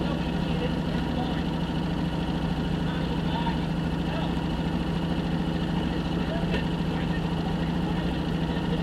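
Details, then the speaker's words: 1965 Jeep Wagoneer, original 3.8 L 230 cu in overhead-cam engine, first start after 20 years sitting, points gapped and valves set; steady low drone with a loose, slightly uneven beat, not yet fully tuned. "But as you can see here, we're finally there, and you can finally hear it turn on after 20 years."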